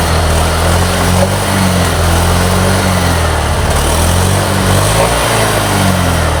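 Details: 2022 Honda Beat Deluxe scooter idling smoothly with a steady low hum, no hunting or misses, after fixing a fuel pump that didn't buzz (no error code), wiring chewed by rats; repaired without replacing parts, now running healthy.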